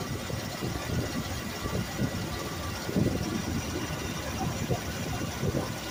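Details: 1969 Ford Mustang Mach 1 V8 with a Holley 650 carburetor, just after setting the idle mixture screws: steady, even burble with no misses or hunting, settled and smooth at idle; normal idle.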